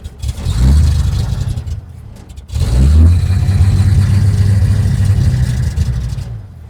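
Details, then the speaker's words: 1947 International truck with carburetor trouble; low throaty engine catches, revs, stumbles and nearly dies, only keeps running on heavy choke; owner suspects carburetor or fuel pump, acting like only a shot of fuel fills the bowl. "Yeah, it's wanting some choke a lot. So, try it again. That acts like a fuel pump."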